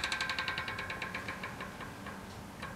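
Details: Chris King ISO disc stainless 150x12mm rear hub with a 9-speed XTR M970 cassette, broken in after about 5 hours or 50 miles: crisp, fast ratchet ticking that slows as the wheel coasts down. Healthy freehub.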